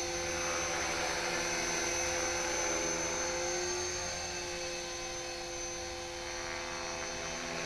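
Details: HK-450GT electric RC helicopter after rebuild, gentle test flight at dusk, trimmed well enough to hover without touching the sticks. Steady high motor whine with even rotor chop, pitch holding level. Normal, well-trimmed hover.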